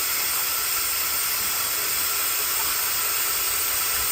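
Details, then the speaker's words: 6.0 Powerstroke diesel with hot crank-no-start, engine off, valve cover removed, air test: constant loud hiss of escaping air leaking past the upper injector o-ring. "all right so you can hear our air l now with the valve cover pulled off"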